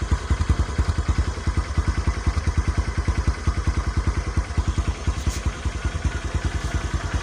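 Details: Honda Megapro monoshock single-cylinder motorcycle after spark plug gap set and a 1.5 µF/400 V capacitor fitted: steady even beat at about two hundred pulses a minute, no ticking or rattle; healthy idle.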